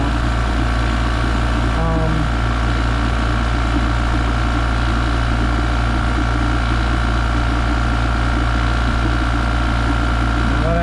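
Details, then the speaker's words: 115 V Copenhagen oil-lubricated compressor, after a pump failure and motor stall that sounded ugly. Now it makes a steady, even low hum with a faint regular tick and no knocking, pumping up quietly and sounding normal. "sounds that sounds normal now you can see how quiet the compressor is"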